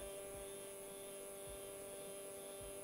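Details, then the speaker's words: Stepper motor on an A4988 driver switched to 1/16 microstepping: a thin, steady high buzz with faint low pulses, smoother than full or quarter step but still not silent. Stepper microstep hum. "but finally I activate the 16 steps and look how the vibration sound changes"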